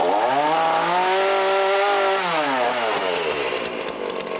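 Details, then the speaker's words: Cheap chainsaw with a Walbro carburettor after rebuild, warm-up and high/low screw adjustment. A clean two-stroke wail revs up, holds high and drops away smoothly without bogging; it now starts easily and cuts well. "oh there you go she starts up easy cuts really well"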